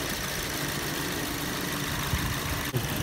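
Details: Toyota Yaris with a rough, lumpy idle and irregular low thuds breaking the rhythm; a misfire is suspected but the cause is not confirmed.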